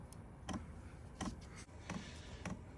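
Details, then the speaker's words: Happybuy 5kW diesel heater, first start set to high speed, fan running: soft single ticks about every 0.6–0.7 s as the fuel pump kicks in drawing fuel to the burner; normal fuel pump ticking. "see what happens when this pump starts clicking so the pump just kicked in it's going to be drawing fuel in now apparently to the burner"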